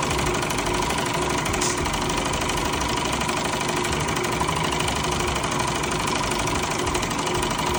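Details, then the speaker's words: Car wash high-pressure pump just rebuilt and tested on high-pressure soap: hard, steady knocking about three per second over the pump's drone. The valve parts were reassembled in the wrong order and are jammed instead of loose. "Okay, so I took the pump apart, and obviously I got the order wrong here, because these are jammed on now rather than loose."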